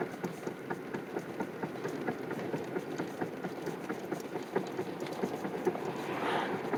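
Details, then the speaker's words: 2007 Chevy Impala after recent wheel bearing, rotor, caliper and pad replacement; faint somewhat irregular knocking about twice a second keeping time with wheels while driving, with shake; source unknown; rhythmic noise while driving. "i have this noise and shake in my car and i want to know what it is"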